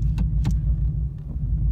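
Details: 2017 Ford Mustang 5.0 V8 after repair, idling in gear: deep, steady burble with no knocks or rattles; no noise in Reverse or Drive, engine and exhaust sound healthy.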